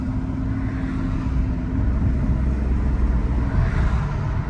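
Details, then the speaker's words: 2005 Mercedes CL600 twin-turbo V12, driving and accelerating, heard in cabin with window down; deep rumble under load with steady low whine, sluggish slow takeoff and lost power. Owner suspects transmission, recurring limp-mode issue; unconfirmed. "So, now it has a slow takeoff and a wine. What is that? What's up, man? I don't know what that is."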